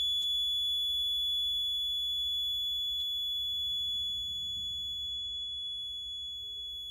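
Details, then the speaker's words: Electronics lab bridge circuit switched on while unbalanced: current through the null detector gives a steady high-pitched buzz. It fades as variable resistor R7 is turned toward balance and stops when the bridge is balanced. "Now you can see our bridge is unbalanced, so the current flowing this null detector. Okay, so we can see we can observe or we can hear this buzzing sound."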